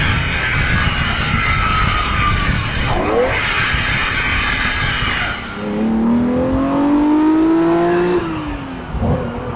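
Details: Ferrari 365 GTB/4 Daytona Spider V12 on road test after spark plug fault fixed, now on all 12 cylinders: strong, even engine note climbing smoothly through the revs with tire squeal over it; normal acceleration.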